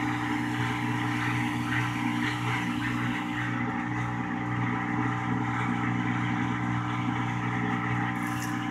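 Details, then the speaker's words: Whirlpool washer with all-lights-on fault, in diagnostic test mode: drain test run because water remained in the tub before low speed spin test; smooth, steady low electric hum, no rattles or grinding. Drain pump normal. "okay well apparently it's a flashing at me so there must be still some water in the tub there so we'll go back and drain some water"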